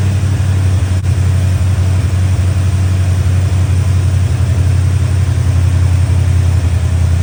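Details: Chevy Square body barn-find truck, 305 (5.0) V8 with automatic, after timing, distributor, carburetor, tune-up and ignition work: deep, steady V8 burble at idle, even beat, no misses or stumbles; running much better than before.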